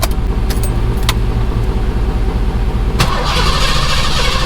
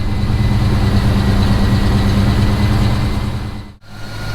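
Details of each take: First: Fox-body Mustang with Magnaflow exhaust, started after sitting for months on a weak battery: cranking, then an uneven stumble and surge before it holds running; rough start. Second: Fox-body Mustang V8 with Magnaflow exhaust, started after sitting for months with a weak battery: after a rough start it settles into a deep, steady, even burble at idle; normal idle.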